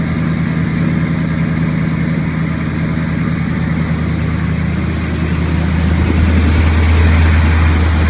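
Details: 1981 Chevrolet K10 with 350 small-block V8 after HEI tune-up (new cap, rotor, recurve kit, coil and ignition module); low, even rumble with steady beat, slight rise near the end; idles smoothly, no misfire.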